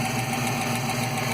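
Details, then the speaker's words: Ticking at idle, heard mainly on the driver side and not the passenger side, with the hood open on an '86 engine with flow heads, Explorer intake, 75 mm throttle body, BBK cold air intake and shorty headers. Exhaust and headers were retightened and it is quieter, but the light, fast, even valvetrain-type tick persists. "still sounds like the low cap over here on another driver side somewhere not getting it on the passenger side so definitely sounds like me"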